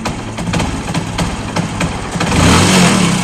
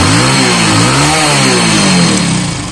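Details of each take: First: Fashion Pro motorcycle, cold morning start: ragged, uneven single-cylinder idle, missing and stumbling, stalls repeatedly unless throttled hard, as if running out of fuel; needs choke until warm; lean mixture. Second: Hero Fashion Pro motorcycle after repair for cold-morning missing and jerking: engine revs up and down cleanly without stumbling or cutting out, pulling fully and healthy.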